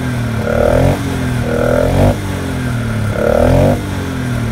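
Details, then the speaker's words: 2019 Polaris Sportsman 500 HO ATV after installing a trail snorkel intake: three clean throttle blips rise and fall smoothly with a hollow intake roar, sucking air hard; normal revving with strong intake draw. "I don't know if you heard that or not, but it's sucking. It's sucking pretty hard. That's That's what I wanted. I wanted to wanted to get more air in there."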